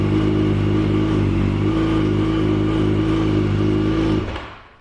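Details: Yamaha FZ8 motorcycle after fixing a no-start from the button, caused by a weak 7 Ah battery, replaced with a 10 Ah battery; smooth even engine note for about four seconds, then cleanly switched off. Healthy run.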